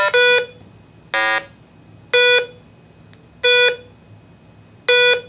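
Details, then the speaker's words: RATH Smartphone 5 (V) emergency phone self-test during ring-down programming with no LED connected: harsh buzzy blat marks the missing LED, then three clean evenly spaced beeps about a second apart; a blat means a connection to double-check. "in this demonstration we have not hooked up an LED so you hear a beep blat for the missing LED and then beep beep beep whenever you hear a blat double check your connections"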